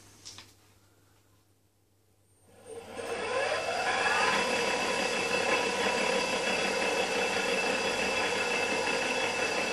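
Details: Enova EV traction motor for a BMW E31 840Ci conversion, on the bench run up to 6000 rpm with a 256-pulse encoder and rewired grounds: smooth whine rising steadily in pitch then holding speed, clean and even with no rubbing.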